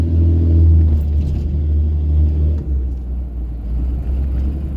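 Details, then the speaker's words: Cummins diesel pickup, after long running on low rail pressure, revved then dropped into neutral: idle swells and sags unevenly, free-revving itself up and bouncing down; owner suspects leaky or damaged injectors, not confirmed. "but like if I get on it hard I'll put it in neutral oh earlier it did it more but it's like free revving itself like up up up up up up and then it'll bounce down so I that sounds like a sign of leaky injectors"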